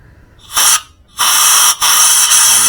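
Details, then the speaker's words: Yamaha Mio J that stalled on the road with loss of compression, blamed on valve clearance tightening when hot: leak-down test with petrol in the chamber and air blown in. Sharp sustained hissing as air escapes, showing an exhaust valve leak; carbon flakes were found. "Kemudian kita tembak pakai angin. Lubang intak manivol danos manivol ini yang X dulu. Woh, bocor ya."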